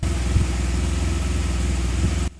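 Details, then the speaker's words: Rebuilt 2014 BMW R1200GS, start after radiator replacement and work to cure a backfire/misfire: a low, even idle thrum with no popping or backfire before it cuts off, sounding softer; ABS and warning lights blinking. "It actually sounds really, really good. There's not an there's not a strange sound anymore. It's almost as if it's softer as well."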